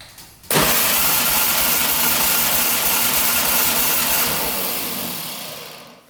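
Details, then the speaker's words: 1967 Volkswagen dune buggy engine cranking with compression tester on cylinder 3: steady even pulses, no stumble; about 140-145 PSI, same as cylinder 1, good. "That's about 140 as well, 145. So that's like the same as cylinder 1."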